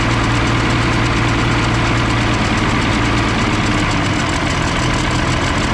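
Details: M35A2 military truck diesel, fuel return still flowing without bubbles: heavy knocking idle with a constant loud rushing hiss on top, suspected intake air leak near the turbo, not confirmed.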